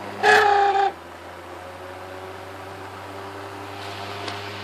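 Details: WeatherWorks window fan, used a couple of years in a cabin window by a dirt road, works on and off: short high squeal then low steady motor hum; bearings worn out, WD-40 tried without success, fan considered done.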